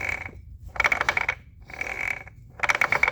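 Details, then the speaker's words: Removed transfer case. Sharp metallic clacking in bursts about every 1.5 s with little low rumble; owner suspects a damaged planetary gear: clacking noise. "but yeah it definitely sounds like one of the planetary gears is messed up"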